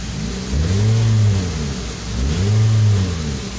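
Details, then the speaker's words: 2019 Toyota Vios with a hard-starting issue and a fuel pump replaced under a month ago, reported noisy bearing: two smooth revs rise and fall with the throttle with no whine or rattle; no noise when revved, engine sounds healthy. "May isue pa siya mga ka idol maingay daw bearing pero wala naman siyang ingay pag inapa ka ng gas"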